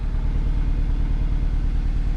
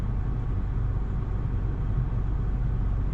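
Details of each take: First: 2009 Nissan Versa 1.8L SL at idle: rough, lopsided, lumpy idle, sounding like it runs on only 3 cylinders; cylinder 4 misfire code stored with no check engine light at first, caused by a failed cylinder 4 coil pack. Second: 2009 Nissan Versa 1.8L at about 157,000 miles with the AC on, after replacing the cylinder 4 coil pack that caused a misfire (P0300, P0340): low, smooth, even idle with no stumbles; runs normally.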